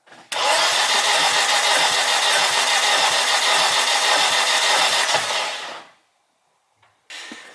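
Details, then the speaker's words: 600hp turbo Honda Civic compression test on cylinder two: starter cranks fast about five seconds with uneven beat, about 5 psi versus 165–175 on others; owner suspects popped ring land, possibly after two-step use. "that's like five psi of compression on the number two cylinder"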